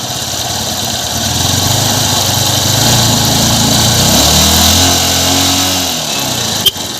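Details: Honda Unicorn single-cylinder motorcycle after top-end work to cure excessive engine noise: settles into a steady, even idle with a light regular beat, no knocking or rattles; runs healthy.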